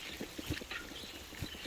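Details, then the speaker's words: Touring bicycle ridden in heavy rain: short chirpy squeaks in bursts over rain and tyre noise. The rider says gunk got into the brakes after all the rain, causing the squeal. "after all that rain uh i got some gunk in my brakes that's the squeaking you can hear"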